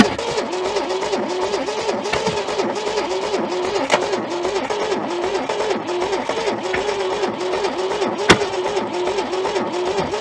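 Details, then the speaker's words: Junkyard Holden that sat for decades, with stale fuel in the carb, fresh fuel on top, and the float held back to stop flooding. Steady cranking gives a few weak pops but it never catches; possibly stuck valves. "Stale fuel kicking around in there. Can you smell that? Yeah, so a bit of fresh stuff sitting on top. Trying, but doesn't want it."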